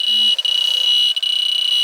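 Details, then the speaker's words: Central AC system with a bad leak in the indoor coil; leak detector gives a shrill continuous alarm with brief dropouts as the probe moves, confirming refrigerant escaping at the coil, which is to be replaced. "hear it yeah this sense is the refrigerant leak you know definitely got a leak up here not good"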